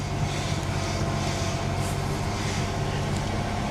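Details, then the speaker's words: C4 Corvette, possibly around 70,000 miles with the odometer not working: steady, low, even rumble with no knocks, ticks or squeals, and no dash warning lights. Normal, quiet idle. "Well, let's fire it up because I'm very interested in this one. Oh, wow. [Music] Oh, she's so quiet."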